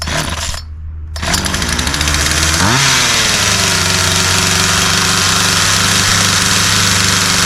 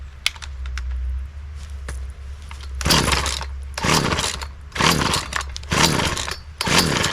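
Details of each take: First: Poulan two-stroke chainsaw after restoration with a new spark plug, fuel and air filters, fuel lines and primer bulb, and with the chain tightened: fires and rises to a high, steady, clean buzz without bogging or surging. Runs normally. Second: Poulan 2150 chainsaw, sat unused for quite some time, after new fuel filter, primer bulb, fuel line and spark plug, primed with choke out: repeated pull-cord rasps about once a second, no catch. Failed start; a leaking carburetor later found.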